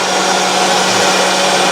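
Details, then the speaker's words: Boat bilge pump running loud with a rough, steady whir and low hum; its bearing is going bad and a replacement has been ordered. "And you can hear that the bilge pump is kind of loud. The bearing's kind of going bad on it."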